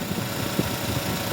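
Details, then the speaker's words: Suzuki DA63T with K6A engine after fitting alternator belt and tensioner bearing: even idle, steady low pulse, no squeal or chirp from belt area; tensioner and belt quiet. "Ito yung bearing, gumagana na. Wala nang"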